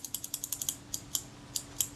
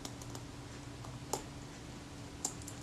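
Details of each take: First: Kodak Retina Reflex IV shutter after cleaning and reassembly of the mechanism plate, with a suspected drag-causing spring addressed: crisp, evenly spaced light clicks, about a dozen in two seconds, blades opening and closing smoothly with no drag. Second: Kodak Retina Reflex IV shutter, slow-speed retard gear train shifted in its elongated adjustment hole: one release with a short whirring buzz ending a touch early; slow speed slightly fast after adjustment.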